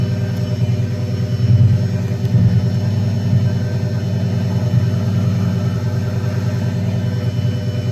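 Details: Pre-LP Lamborghini Gallardo 5.0 V10 after alternator replacement: deep, steady idle with an even beat and no knocks, misses or squeals; running smooth and healthy, and the new alternator fixed the charging problem.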